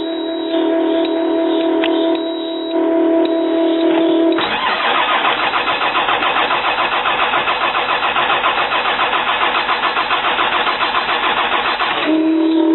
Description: 2005 CAT C7 ACERT. Had a bad computer.